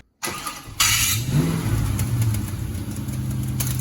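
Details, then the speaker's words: Car just back from fixing a coolant leak at the lower radiator hose clamp, started for a test drive: engine fires, then a sharp slapping burst right after start before settling to idle; the belt's outer ring is thrown. "Whoa, whoa, whoa, whoa, turn it off, turn it off. Yeah, there goes the belt. Yeah. Or at least the outer ring of it."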